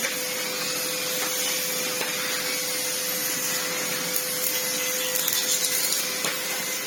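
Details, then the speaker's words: Red Sebo C2 Total upright vacuum on max, reassembled after its lack-of-airflow problem was cleared: strong, even motor roar with a steady mid-pitched tone, no surging or rattles; turbo head spins fine, cleans well, normal running. "Yeah, bless it. It's functionally fine. It cleans immensely well. Turbo head spins fine. Now that it's got more airflow going through it, I mean, the airflow is something else."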